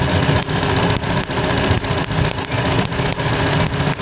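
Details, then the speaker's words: Hyundai Elantra (no-crank no-start job, computer box fault) idle stumbling in an uneven lope about once a second; oil leak at the coil lets spark track to the side instead of the plug, causing misfire; two coils to be replaced. "isa din yan sa dahilan mga sir eh pag nag-leak yung toil hindi napupunta Ron sa spark baga siya sa gilid tumatalon yung kuryente kaya garalgal siya"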